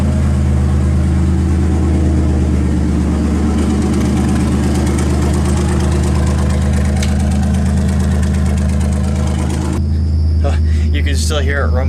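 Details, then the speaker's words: Turbocharged Dodge Dakota, manual, started after repair with fuel pump primed: loud, low, steady idle rumble with no stumble or misfire; runs again, normal idle. "hear it rumbling through the wall here on the garage, but the Dakota runs again."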